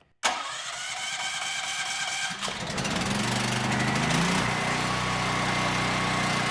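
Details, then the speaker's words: Generac GP9200E generator (model G0079710, 14 hours), came in not running, run indoors: short electric crank, catches and runs smooth and even; indicator flashed then solid green, healthy. "I'm not going to run it long just because of the fact that we're indoors, and it did start flashing green, but it went smooth green and you're good to go."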